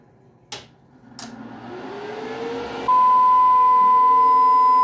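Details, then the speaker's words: Audio amplifier on a load test into resistors, with a speaker as monitor: a steady test tone comes in loud with a harsh buzzy edge as the amplifier clips into distortion, then the signal turns clean. "Ahí ya se oye la distorsión. Ahí está limpia la señal."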